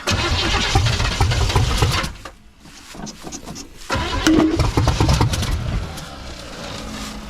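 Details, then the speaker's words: 1979 Chevrolet C10 squarebody, 350 V8; cranks and catches, runs rough a few seconds, dies, then catches unevenly. Stalls after starting; they wonder whether carburetor needle and seat is letting fuel in, fuel starvation suspected, not confirmed. "thank you I wonder the needle and seats even letting fuel go in it right come on man"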